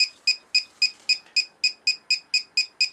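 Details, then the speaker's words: Winegard SensarPro antenna amplifier and signal strength monitor: sharp, evenly spaced high chirps, about three or four per second, as the antenna is rotated; normal operation. "how it slows down as the signal strength drops off. Then after a few moments, if nothing changes on the signal strength, the chirping will stop."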